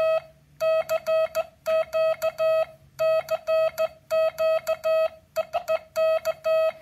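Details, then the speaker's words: MFJ 557 Morse practice key using a 555 timer: keyed tone around 650 Hz with a buzzy, squeaky edge on every dot and dash; harsh unfiltered square-wave sidetone, no smoothing of the signal. "hear how it sort of squeaks. It's using a 555 timer. There's no smoothing of the signal."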